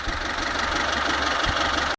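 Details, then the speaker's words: Kia Pride 2000 engine, very hot, idling steady and even with a smooth low rumble, no misses or knocks after checking ignition timing; runs fine on idle though the owner hears a possible vacuum leak sound somewhere. "So now runs fine. Strange."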